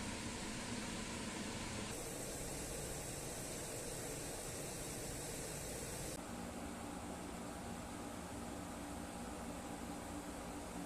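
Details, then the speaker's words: Springer Midea 10,000 BTU window air conditioner (QCI108BB) at maximum, heard from outside where its compressor sits: steady even hum under constant airy rush, no rattles, knocks or surging; compressor running normally. "Essa parte aí do ar condicionado de janela que faz o barulho que é o compressor fica para fora da janela e o portátil fica para dentro de casa então por isso que a gente Escuta mais o barulho do portátil do que o da janela"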